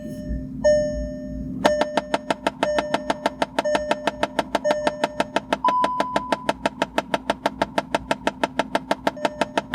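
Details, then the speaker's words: VW Mk7 failed recirculation flap motor behind the passenger-side dash, typically on startup or with the AC on: rapid, steady clicking knocks about five a second over dash warning chimes; the fix is replacing the motor. "Now flat motors on Mark 7s, when they fail, they do this."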